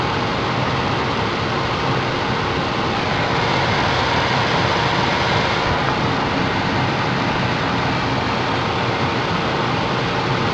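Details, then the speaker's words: Car cabin blower fan just replaced after the old one burned out from water ingress, tested at speeds two and three: even, steady air rush with a faint constant hum, no ticking or scraping; new blower working normally. "so now we're gonna go ahead and test it fire it up here we go and it's working got the vent going two"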